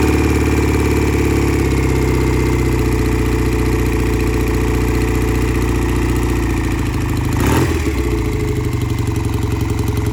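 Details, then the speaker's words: Vintage British motorcycle, sat a couple of years, carburetors cleaned twice, at about 70°F, in shop: deep even thumping idle, steady exhaust beat, no misses or knocks; normal cold idle. "And it's running pretty good, sounds good in the shop."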